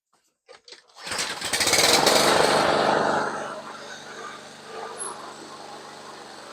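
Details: Toro Recycler lawnmower Briggs & Stratton engine after carb cleaning, valve check and tightening loose spark plug: pull-start catches at once, then steady even drone at one speed, no misses or surging; running fine.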